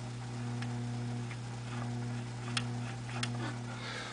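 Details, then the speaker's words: Philco 42-380 radio chassis on a homemade variac and bulb at half voltage: faint steady speaker hum with light ticks; cause not yet found. Speaker hum. "we're going to turn the ceiling fan off um and you can hear a home out of the speaker very faint hum and the volume doesn't do anything doesn't seem to change it"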